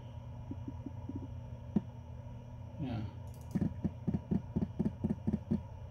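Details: Brand-new Seagate 14TB Expansion external desktop HDD, phone microphone resting on the drive; faint spin hum, then bursts of light rapid ticks, about two a second, as a file opens. Seek clicking; owner wonders if courier damage, diagnostics pass.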